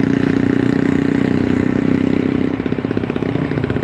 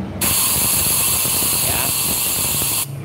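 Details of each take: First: Yamaha Force motorcycle on a road test after repair, held in third then second gear, reaching 90–100 km/h: engine pulls cleanly with no stumbling or popping. Normal running; the earlier misfire and lack of power were caused by a loose spark plug. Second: Yamaha Force motorcycle engine, valve leak test through the exhaust port: a steady hiss of air rushing out, then it stops; severe leak because carbon deposit keeps the valve from sealing.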